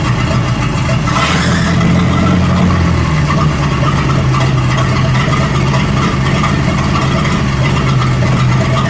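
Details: 1937 Buick Roadmaster eight-cylinder with apparently rebuilt Stromberg carburetor, after idle speed and idle mixture screw adjustment: steady, even low idle with no stumble or hunting, loud and open; sounds much better, still needs fine tuning.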